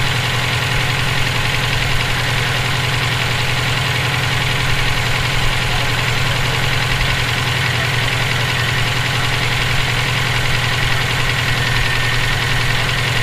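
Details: EJ257 flat-four knocking at idle for about 17k miles since purchase; persistent fast knock tied to engine speed. Owner suspects rod knock, spun bearing or valve lash needing adjustment; cause unclear.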